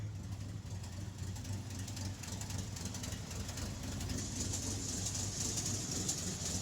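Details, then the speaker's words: REO M-35 truck, cold at idle, after head gasket blew: low lumpy idle where three or four cylinders fire then a beat drops out, skipping at least one cylinder; warm it would not idle. "You can already hear in just that little section there, you can hear it skipping at least one cylinder, but probably more than one."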